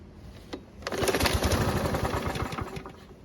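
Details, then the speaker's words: Yard Machines mower given away over bad fuel, pull-start with binding rope: about two seconds of quick, even firing then dies as fuel runs out; ignition and compression good. "Luckily it started and ran for just a second, and it even sounded pretty good. That means we have a working ignition system and plenty of compression from the engine."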